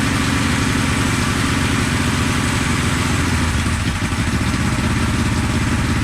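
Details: 1974 Honda CB450 twin, sat for years, running on remote fuel with throttle blips during timing-light check: lumpy, uneven idle with irregular low pops through the carbs; ignition timing about 20 degrees off, later corrected.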